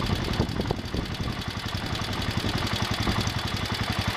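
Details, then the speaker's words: John Deere 110 garden tractor single-cylinder engine after repairing the connecting rod to cure a rod knock: steady even idle, about three to four beats a second, light lifter tick and belt rattle, no rod knock left. "okay that sounds better now I hear the lifters ticking and some other stuff rattling sounds like the belts flopping around some but I don't hear a rod knock"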